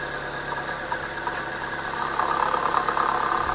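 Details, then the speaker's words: Idling petrol engine with a fast, uneven rattling knock, about four per second, traced to the A/C compressor pulley bearing; no play found, and greasing the bearing eliminated the noise. "ребят Кто бы мог подумать что шум издаёт вот этот вот подшипник"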